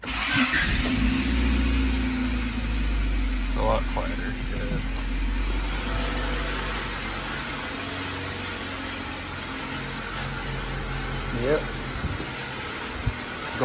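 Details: 1995 Honda Civic just after a Megan Racing header and downpipe install, stock exhaust otherwise: steady, even idle with a few throttle blips, no ticking or puffing from the front; the front exhaust leak is gone.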